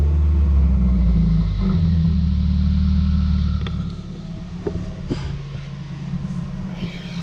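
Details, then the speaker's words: 2019 Subaru WRX: idle drops to about 1,000 rpm, then a heavy, lumpy boom-boom thumping, then revs spike toward 2,000 rpm. The shop said something was sticking and leaning out the engine until the O2 sensor added fuel. "it's going to drop down to about 1,000, that's fine. And then, you're going to hear it, trust me. See that? I mean, what the hell is that? And then it spikes up, because it's adding fuel, supposedly."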